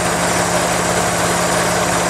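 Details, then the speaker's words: 1992 Geo Metro XFi with retrofitted A/C, idle-up valve energized by new compressor delay board: loud constant airy hiss over steady idle, heard at air cleaner; may be normal boosted airflow or a leak from an old hose, unconfirmed. "i can even hear the hissing when that valve first turned on all the hissing almost sounds like a leak"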